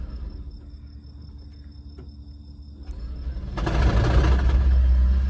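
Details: Toyota Prius engine that gets loud at low speed and quiets once accelerated; quiet at first, then an uneven low chug about three times a second, a misfire from a faulty ignition coil.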